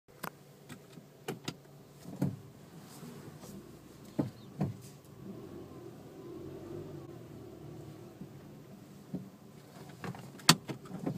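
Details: Suzuki Swift 1.2L braking slowly forward with steering turned left or right: low creaking groan with sharp clicks and knocks; no noise with wheels straight.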